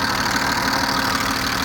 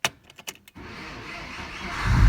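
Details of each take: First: BMW E34 with M50B20 engine, warm but not fully at operating temperature, at idle: fast, light ticking over steady idle; owner suspects hydraulic lifters or injectors, noise worsens when hot despite oil changes; oil pressure check planned. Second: BMW E34 with M50B20 engine, cold start at −2 °C with a weak battery: brief crank, catches about two seconds in, then a low steady idle with no tapping. Runs fine cold; the owner says lifters or injectors rattle once warm.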